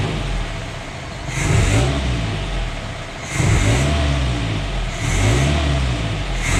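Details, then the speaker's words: Newly installed engine in the Route 66 project car, first start, not yet driven: even idle and three clean throttle blips rising and falling smoothly without knocks or rattles; noises eased as it warmed up. "It started up really nice. The idle, the noises, everything kind of kicked down as it warmed up and started to break itself in, so that's great."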